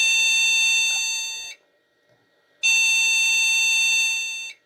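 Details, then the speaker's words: Vintage PC rescued from e-waste, at power-on: long shrill beeps of about 1.5 s with 1 s gaps, repeating. This sounds like a memory fault beep code, and a memory problem is suspected again. "that sounds like a memory problem again to me"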